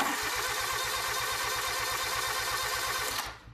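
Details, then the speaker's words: Cranking after a new starter solenoid was fitted, with a meter across the connection reading about 20–30 millivolts voltage drop (old one was a bad cell): even, strong, regular cranking at just under three beats a second. Normal cranking. "i'm going to crank it over it's going to get kind of loud but just take a look at this meter as i'm cranking it"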